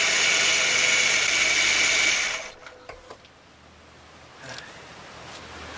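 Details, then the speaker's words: Ford BA Falcon top idler pulley on the serpentine belt, before replacement: loud steady high-pitched whirring hiss over the running engine that stops when it shuts off; worn, dry idler pulley bearing, fixed by replacing the pulley. "the top pulley on here I'll tell you why it's important to replace if it gets noisy"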